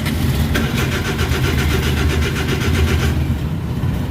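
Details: Suzuki DA64/DA63/DA17, no shifter indicator lights, no ECM communication, code P0707: starter churns steadily about three seconds but never catches; crank no-start.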